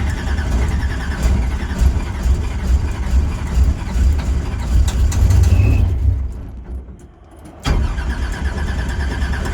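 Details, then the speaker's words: Drag race car that dies whenever it stops or the brakes are applied: on restart it cranks, catches, runs unevenly, nearly dies and recovers; owner suspects ignition, unconfirmed. Stalling and hard restart. "Every time I come to a stop or hit the brakes, it wants to die. So I'm gonna try and see if I can't fire it up and just get it back home."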